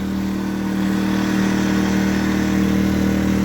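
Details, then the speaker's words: New Predator 2000 inverter generator, first run after unboxing and priming, small fuel fill: a smooth, even hum at a steady pitch with no knocks or surging; normal running, "not very quiet, not very loud, pretty nice." "there it is not very quiet not very loud that's pretty nice"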